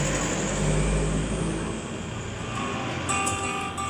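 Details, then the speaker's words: TPA3118 class D amplifier with Bluetooth module, 7805 regulator, shared DC supply: with volume turned down, a steady hiss and thin high whine remain; the suggested fix is a capacitor on the Bluetooth module's supply line. "Akan tetapi ketika volume diturunkan ini suara noise-nya sangatlah tidak nyaman."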